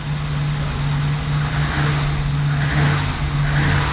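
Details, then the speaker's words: 1987 BMW 528e (E28), 4HP22 automatic, after the clogged transmission filter was dealt with: steady, even low drone with a light rise in revs, no whine or clunk; noise gone and it goes into gear faster. Normal transmission operation. "Jerome, that fixed it. And it's going into gear a lot faster. Yeah. Clogged filter in the transmission. That's what that noise was."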